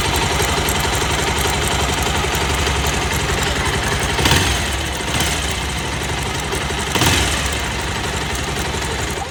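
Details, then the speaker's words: Bajaj Pulsar 220 single-cylinder motorcycle idling: fast, light tik-tik from the top end; timing chain recently replaced and fine, the noise comes from a worn timing chain tensioner. "भाई आप लोगों ने आवाज सनी लिए होगी timing chain की आवाज आई पर टाइमिंग चेंज तो अभी बदली थे थोड़े दिन पहले तो फिर कहे की आवाज है"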